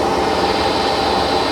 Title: hotpoint first edition - bad bearings 1200rpm